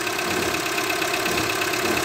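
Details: Renault Logan iron-block engine at idle just after a machine-shop rebuild (retífica): steady idle with a light, quick metallic ticking, several taps a second, from inside the engine. Poor-quality rebuild parts are blamed for such noises, but the cause is unconfirmed.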